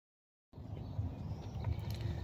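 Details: 1999 Ford Crown Victoria 4.6 2V V8 after replacing the idler pulley, belt tensioner and serpentine belt: steady, even low-rumble idle with no belt squeal or chirp.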